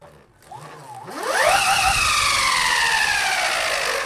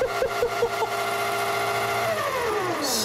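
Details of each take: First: Giant 3D-printed LEGO go-kart, sensored brushless motor on flexing bracket driven by VESC speed controller: whine climbs slowly from low pitch to high steady tone; smoother start than sensorless motor but little starting torque. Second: Giant LEGO go-kart motor rated to about 50 V, VESC controlled via receiver and Spektrum DX7 transmitter: clean whine rising then winding down smoothly, no grinding or clicking; quiet, smooth normal run.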